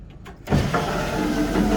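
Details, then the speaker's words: 1982 Ford Bronco rear window with a replacement motor: motor whirs with a strained, uneven tone only as the glass goes down, going up is fine; owner suspects the ungreased spring is constricting and binding. "All right, that sounds like the spring is just constricting, which I did not grease. So I'm gonna put a little bit of grease on the spring."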